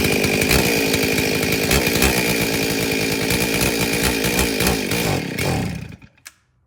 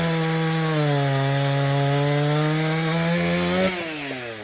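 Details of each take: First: Stihl 034 chainsaw with broken, half-gone fuel line, primed by squirting mixed fuel down the carburetor throat: fires and revs hard about five seconds, then sputters and dies as the primed fuel runs out, fuel starvation. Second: Stihl 034 chainsaw, brought in for starting but not idling, after repair including a broken fuel line: high steady note holding speed through the cut then easing off cleanly; starts easily, idles, accelerates well under load.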